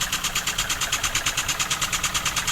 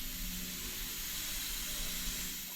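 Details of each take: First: Newly built wig-wag model steam engine, first run on air at under one bar, needs running in: crisp, even exhaust puffs about seven a second, no knocks or stumbles; normal running. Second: Wig-wag model steam engine on its first start, running on compressed air as pressure is slowly raised: steady sharp hiss of escaping air, with bubbling visible at the valve face. Air is probably leaking past the valve face before the engine runs freely.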